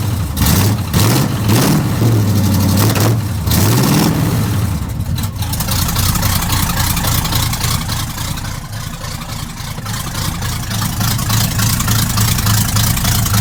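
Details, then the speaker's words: Healthy V8 truck with new exhaust: cranks, fires, blips up and down, then settles into a deep steady loping idle with no knocks; normal start and idle, with a fuel leak dripping on the exhaust. "Yeah, that sounds pretty awesome."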